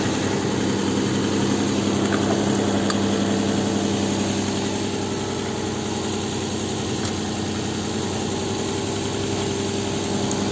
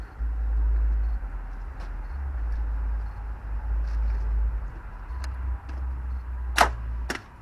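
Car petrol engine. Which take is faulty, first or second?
second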